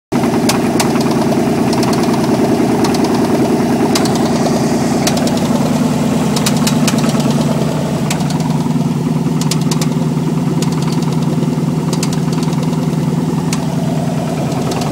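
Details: 305 TPI LB9 V8 with no exhaust, open manifolds, at steady idle: loud raw note with sharp ticks riding each firing pulse, fast rhythmic bottom-end knock; rod knock suspected.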